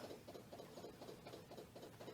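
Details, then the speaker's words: SU electric fuel pump feeding the carburetor before start: quiet, steady ticking about four times a second as it pumps fuel up to the carb; normal electric fuel pump priming. "listen for the fuel pump that's pumping fuel can you hear it it's an su pump"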